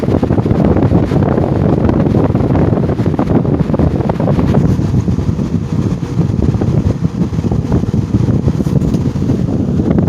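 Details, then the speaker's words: GE motor after repair, motor halves releveled and tapped back onto the housing: steady low fan rush with fine, uneven rattling bearing chatter still present, though better than before; spin-down time decent. "It's better than what it was before. You still hear that bearing chatter in there."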